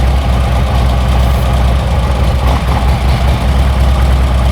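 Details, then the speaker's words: 2008 Harley-Davidson Street Glide, 96-inch, six-speed, warmed up idle: lumpy V-twin idle changes and dies on short brake-cleaner bursts at front cylinder intake manifold; leaking front intake manifold seal. "Do it again. Hear the motor die. Little short burst. Okay. So, we know with that we know with that we've got a leak intake manifold seal."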